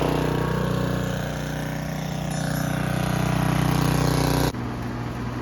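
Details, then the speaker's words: Snapper riding mower with a leaky aftermarket Chinese carburetor: a low, chugging beat with uneven pulses and a sudden drop in note, puffing black smoke. A leaking needle and seat is flooding the carburetor. "And then what you saw, it started flooding out, you know, like flooding out real bad, puffing black smoke, just running like garbage."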